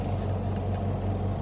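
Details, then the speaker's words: Washing machine after replacing its faulty spinner (dryer) motor, run on the timer with the lid closed because lifting the lid stops the motor: smooth, even low hum at constant speed with no knocks or scraping; the new spin motor works. "ये देखें, motor जो है काम कर रही है, देख सकते हैं आप, चल रही है मोटर।"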